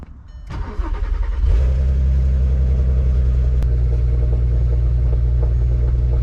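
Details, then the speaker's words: VW Mk5 R32 after fuel pump replacement for a fuel leak (cracked pump cap); pump heard priming, then the starter spins briefly and the engine catches within a second into a steady, even low idle. "Sounds like it's pumping."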